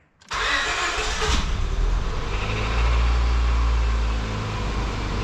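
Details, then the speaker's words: After radiator replacement and timing work, coolant filled: quick crank, instant catch, then a steady, smooth idle with no misses, knocks or ticking; timing confirmed right, engine healthy. "She sounds good. That means timing's good. That means I did the timing right."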